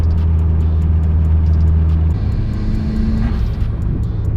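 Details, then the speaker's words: Blue Evo 8 on the road after the cutting-out issue was fixed: steady, even engine drone with smooth pulls, no stumble; owner says it runs great now, problem resolved. "dude this thing runs so good now well safe to say that issue is definitely resolved"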